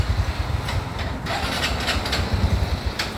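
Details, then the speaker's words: 2014 Honda Wave110i: hard starting, stalls when throttle is released, bogs when revved; small single putters unevenly and stumbles, unable to hold steady idle. Faulty fuel injector suspected. "นี่สตาร์ทยากนะครับสตาร์ทยากสตาร์ทยากนะครับผ่อนและดับบิดไม่ขึ้นนะครับวูบๆนะครับ"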